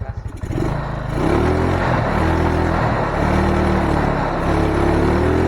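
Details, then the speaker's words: Carbureted Yamaha Mio Soul, kick-started after replacing the carburettor vacuum diaphragm rubber: revs climb promptly on each blip and fall back to a steady idle; it runs normally before mixture adjustment. "Ini langsung naik ya setelah kita ganti. Tapi coba kita setel dulu ya."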